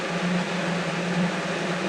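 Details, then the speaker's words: Never-opened 1980-81 Lasko (Galaxy) 3712 12-inch two-speed box fan, first run on high: smooth, even whoosh of air with a soft low motor hum, no rattles or ticking; much quieter than a well-used one, running healthy. "all right starting off on high for the first time ever [Music] wow [Music] that thing is so much quieter"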